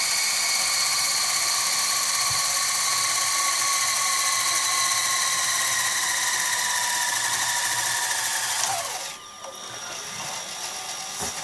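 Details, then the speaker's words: Sharp VC-MH75 VHS player at full-speed rewind: high even whir, then pitch drops as it automatically slows near the tape start to avoid ripping it; normal fast rewind. "it looks like it's just calculating the faster speed there we go full speed"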